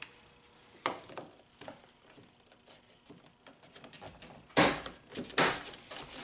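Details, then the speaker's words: 1997 Honda Accord EX sedan door that would not open from inside; light plastic clicks and sharp latch clunks as the door latch mechanism cycles normally. "snug that's it now we can hear the mechanism working on this side"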